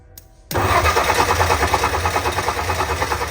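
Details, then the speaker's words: Abandoned Ford F100 field truck, coil wired and spark confirmed: even starter cranking at about three pulses a second for three seconds, never catching; no gas, only starting fluid, large carburetor bowl dry; fuel-starvation no-start. "we really need gas because the Bowl on this carburetor is pretty damn big I can keep feeding it starting fluid but in reality I need gas and sure enough I don't have any"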